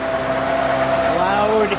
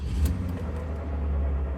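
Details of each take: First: 2005 Ford Freestyle 3.0 L Duratec, at tailpipe after replacing an SKP iridium plug with a Motorcraft SP433X: steady even idle, no miss or puffing; earlier ignition misfire cured. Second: 2005 Ford Freestyle, old SKP iridium spark plugs from previous owner, new coils; deep idle rumble with an uneven, lumpy pulse heard from the tailpipe, engine shaking; misfire traced to a faulty spark plug, fixed with Motorcraft SP433X plugs.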